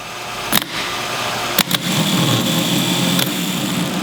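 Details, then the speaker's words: MGC M418G starter motor bench-tested off a big battery charger: a thin lazy whine with sharp clunks as the Bendix engages. Turns far too slowly; connections being checked. "let's try them moving real slowly he's moving really really slowly he gets there but he's moving slowly here we go"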